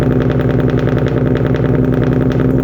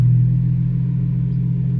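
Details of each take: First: Infiniti G37 VQ37 V6, first start after installing wrapped 1320 headers and cleaning throttle bodies: rough, stumbling uneven idle with heavy smoke; misfire, owner suspects PB Blaster or header wrap burning off, later thought probably due to not disconnecting battery. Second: Infiniti G37 VQ37 V6 after 1320 header install and throttle body cleaning, once settled: smooth, deep, even idle with no knocks or misses; normal idle.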